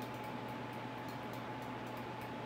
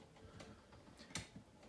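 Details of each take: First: Ceiling fan in a home display running on its high speed setting: a soft, steady airy whir with a faint low hum and no ticks or wobble. It runs quiet and smooth, which is normal operation. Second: Steel-bladed ceiling fan on a 4-speed control, at around 20 degrees out: running slowly, with soft, uneven ticking about three per second as its shot, rough bearings rub; motor also somewhat off and stalls.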